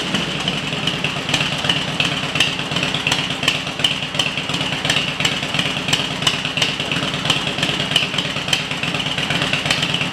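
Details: Harley-Davidson EVO V-twin after EFI-to-carburetor conversion, test run: loping uneven idle about three pulses a second, crisp exhaust popping, no mechanical knock; normal idle.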